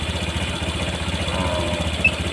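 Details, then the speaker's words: Honda Vario 150 after throttle body service, warm: steady, even idle deliberately set to 1600 rpm, slightly high, per AFR and fuel trim adjustment; no misses, ticks or rattles; healthy warm idle. "RPM saya ee melakukan penyetelan di RPM itu di 1600 ee kedengarannya cukup tinggi tapi ini itu berdasarkan penyesuaian daripada ee afr dan full tram dari nilai altitude"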